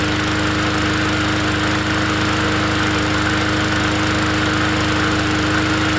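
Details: Free 20-inch Bolens push mower, oil added, quick fix: engine holds a steady, even drone with clean constant tone, no misses or knocks. Normal running.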